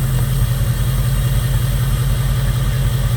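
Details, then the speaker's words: 2002 Jeep Grand Cherokee 4.7 HO with a coil-melting misfire: after running on all 8, cylinder 3 was unplugged and reconnected; the idle turns lumpy with a recurring stumble, and cylinder 3 is intermittently not firing. "Oh, she developed a stumble. Plug it back in. And it doesn't really feel like it goes away."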